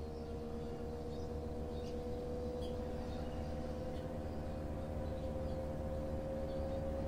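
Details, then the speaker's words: Samsung Digital Inverter direct-drive washing machine loaded with wet clothes, in the spin cycle: a smooth, even hum that climbs as the drum speeds up, with no knocks. The direct-drive motor is very quiet and working correctly. "Y fíjense como el motor es tan silencioso que no se escucha como las lavadoras que tiene el motor convencional entonces es por eso es que es el Direct Drive de nuestro motor que es sumamente silencioso"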